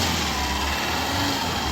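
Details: Chevrolet Sail that wouldn't accelerate, with a check light, after ECU repair and no trouble codes: engine runs smooth and even with a steady tone, no misses, knocks or hesitation. Normal running.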